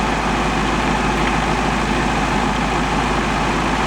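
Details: 1954 VW Beetle air-cooled flat-four with a dull, slightly lumpy idle. One cylinder read under 50 psi compression instead of at least 100; bad rings, a score or poorly seating valves are suspected, and a second cylinder is being checked to rule out the gauge.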